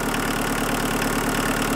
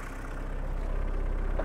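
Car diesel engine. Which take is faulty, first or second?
second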